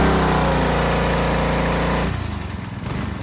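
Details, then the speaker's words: DeWalt 3300 PSI gas pressure washer with Honda GCV200 engine, just started: steady even drone then lighter beat, running smoothly; rattling comes from loosely mounted wheels on washer and cotter pin; normal running. "Again, a lot of the rattling that you hear is from when you put your wheels on."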